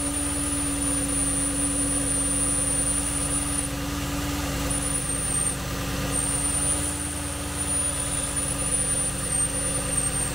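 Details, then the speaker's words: 2013 Porsche Cayenne S 4.8L V8 at idle after startup: loud steady hiss of air being sucked in over even engine hum; withered, torn air-oil separator diaphragm causing big vacuum leak; check engine light, MAF implausible codes; fix is replacing diaphragm. "so as you can hear from the startup of this one it actually has a pretty big leak it's trying to draw air in there and you can hear that uh loud hissing noise"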